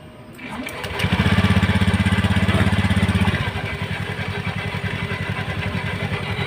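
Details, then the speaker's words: Honda Beat Street scooter at idle: a quick even pulse with a rattling noise from the CVT area; the likely cause is a rough drive belt or one out of sync with the front pulley and rear roller, and spraying water makes it quieter. "kira-kira kayak gitu suaranya ada suara ke merancang 00 banyak gitu di area CVT"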